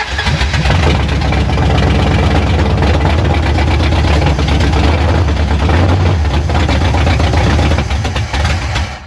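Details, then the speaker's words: 1973 Dodge Charger, 383 big block, parked for a while, bottle-fed carburetor: steady cranking about four compression pulses a second for nine seconds without catching; no fuel delivered, fuel pump not pumping, needs a fuel pump. "Still no fuel. >> No pumps. We need a fuel pump."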